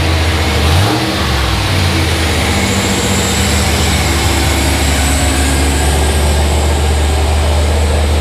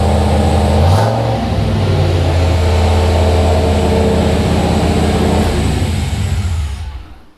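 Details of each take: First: Turbo 5.3 LS (L33) V8 in an S10 truck, first official start after swap, new NGK plugs: catches, blips up briefly, then settles into a steady, even idle with no knocks or ticks; runs clean. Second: Turbo L33 5.3 LS (323 cubic inch) V8 in Blue Ghost S10, first start: steady fast even V8 idle, no misses, well above normal; high idle from very basic untuned base calibration, needs tuning.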